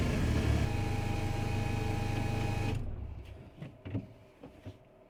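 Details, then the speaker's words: VW Polo 6N2 being returned to the road after 6 years, running after prop shaft work: even low drone with only a slight scrape underneath and no rhythmic banging from the prop shaft balance weight; prop shaft now runs smooth. "ready so far so good you can hear a slight scrape underneath not sure if you can hear anything on the camera but yeah slight scrape but there's no Bang Bang Bang Bang Bang from that balance weight of the prop [Music] shaft"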